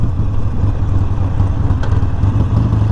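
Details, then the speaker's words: 2019 Harley Sportster Iron 1200 coasting to a red light on the rear brake after rear brakes were removed and cleaned: steady low engine rumble, no squeal. Brake quiet for now; owner unsure whether the squeak will return. "rear brake rear brake nothing alrighty so i think that worked for now at least i don't know if that squeak is gonna come back"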